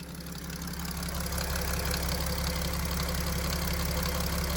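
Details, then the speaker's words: Mercedes OM642 diesel at idle, restarted so lift (in-tank feed) pump pressure changes: faint rapid knock about three per second over the clatter, rustling in the high-pressure fuel pump drive; knock tied to changing feed pressure, which had at times dropped to 2 bar or below. "Давление подкачки изменилось. И начался шелест топливного насоса. Именно в приводе топливного насоса."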